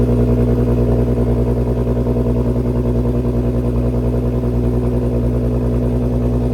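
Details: VW MK6 GTI 3.6 VR6 after rod bearing replacement and second oil flush (oil clean): steady, even engine beat about three pulses a second, no knocks or ticks; runs great, no dash warning lights.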